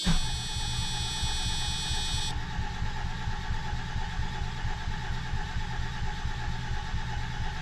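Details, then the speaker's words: 1987 Mercedes 300SDL 3.0 turbo diesel (OM603, 350SDL head swap) after sitting five years, block heater used: slow steady starter churning, engine never fires; crank no start, no fuel suspected, injection pump not confirmed. "her that sounds like no fuel yeah so it's either I wish I had a line pressure tester well that might be the next next thing on the docket"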